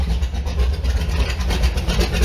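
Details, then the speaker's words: Allmand SuperNova boat engine, newly restarted after spark and fuel issues, timing not yet set, about 800 rpm idle with 60 psi oil: a deep rumble swelling with short throttle blips, no knocks or misses. Normal running and revving. "And man, she sounds like the Beezy. Beezy sounds just like this because it's got the same exact motor."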